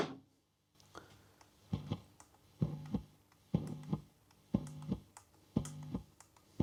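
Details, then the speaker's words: Tube amp volume pot after cleaning with contact cleaner, still crackling around 8-9 on the dial and silent at 3: a short scratchy crackle with a low hum burst about once a second; possibly DC on the pot (suspected). "Okay, there's still something there. I certainly can't hear anything at 3, but there's definitely something up at around 8 or 9. That might be some DC on the pot, in fact."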